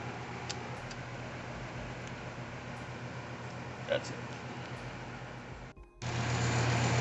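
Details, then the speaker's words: Outdoor A/C condenser unit after clearing an ant infestation that caused loud buzzing and no start: steady, even low hum, calm constant drone, no rattles or buzzing bursts; normal running after repair. "I still got some ants somewhere around there that I want to kill, but the unit is pretty nice, calm, working, noisy, easy, and you save hundreds of bucks."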